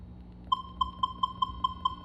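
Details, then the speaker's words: Minelab Equinox 600/800 metal detector, volume at maximum 25, threshold level raised: a faint hum, then a clear mid-pitched threshold beep about five times a second. Normal threshold tone that will change over deep targets. "Observe aquela tá criando é um um ruído bom então esse ruído por exemplo se tiver um objeto lá que esteja bem profundo se você tiver com esse tom de ruído bem levado quando você passar o a bobina em cima esse sonho vai alterar"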